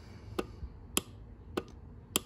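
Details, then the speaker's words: Good four-pin relay tested on an ES192 12/24 V relay tester: four crisp, evenly spaced clicks about every 0.6 s as contacts open and shut, green light lit. "and you can hear it clicking through open and close and then the green light is uh you know lit up so this relay here is good"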